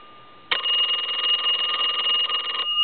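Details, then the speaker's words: Repaired telephone (box chest deco tel) on final checkout after a ringing problem: bright steady double-bell ring, sharp start, clean tone; ringer working properly, though bells less liked than 2500 set's. "i'm not a real big fan of these bells here"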